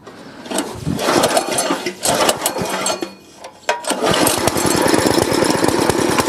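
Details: Store-bought plate compactor with an unknown Chinese Honda GX160-copy engine that had been starting then dying, tested with the oil-level sensor reconnected: stumbles and catches, then a steady, rapid chug with the plate rattling, running on without cutting out; sensor okay.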